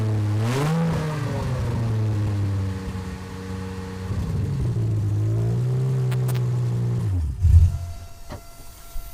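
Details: Aston Martin DB7 V12, freshly refitted engine with new injector O-rings, first start: runs perfectly, rising cleanly on the throttle, settling to an even idle, then shut off; oil pressure fluctuates normally with rpm, no leaks.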